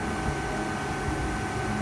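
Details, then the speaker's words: 2008 Prius with new Denso condenser fitted, A/C blowing cold: steady even hum of the 2009 electric compressor with fan rush on top, fans louder than compressor, no knocking, rattling or grinding; normal compressor sound. "and this is a 2009 compressor and you hear the fans a little more than the compressor this is a good normal sounding compressor"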